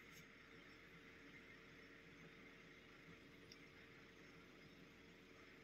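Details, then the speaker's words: Car with a downloaded tuning file flashed to the engine ECU that now won't start or communicate with the diagnostic tool; steady loud rushing whoosh with a faint squeal as the cooling fans run on second speed: fans stuck on high from corrupted ECU software. "I'm not so sure if you are able to hear the fans. Fan are starting on the second speed, okay?"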